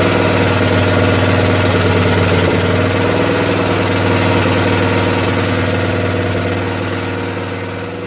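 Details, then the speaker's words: Craftsman tractor, 13 hp Tecumseh OHV, after lowering the governor spring to cut rpm: even, steady drone at constant speed with no surging or hunting; runs fine, problem seems solved. "seems fine i think we solved it"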